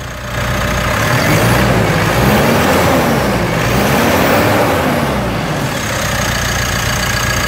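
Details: 2018 Mitsubishi Triton diesel, automatic, with a semi-new replacement engine fitted and decarbonized after the original engine jumped timing; catches quickly and settles into a steady diesel clatter at idle with no knocks or rattles; healthy.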